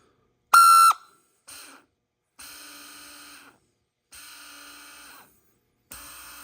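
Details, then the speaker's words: Honda TRX420 electric shift motor, bench-tested after cleaning and lubing, high current draw noted: short whirring bursts with sharp squeal, uneven run to run; owner suspects brush or commutator fault. Erratic motor running noise. "So, you can see how erratic that is. That's why it wasn't initially uh so obvious to find."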